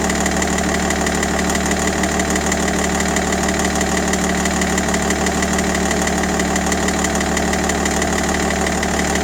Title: 530d e60 M57n knocking noise solution?